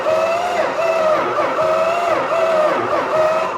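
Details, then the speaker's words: Dodge Super Bee being started for the first time in 20 years. The starter drags the engine over with an even, pulsing rise and fall in tone, suggesting good compression; it cranks normally. "Sweet. It actually sounds like it has compression. Yeah? So it actually cranks over."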